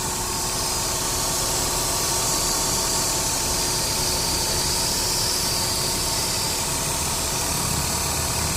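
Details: Ford Duratec DOHC 3.0 idle with an uneven, lumpy beat and recurring stumble that worsens with A/C on max; cylinder 2 misfire, fixed by new coils, plugs and wires.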